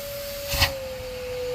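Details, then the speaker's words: Shop vacuum on a kitchen sink drain above cast iron pipe: one thump, then a thin strained hum with no airflow rush; suction constricted by a plugged drain line. "the vacuum is under constriction that means it's plugged it's plugged"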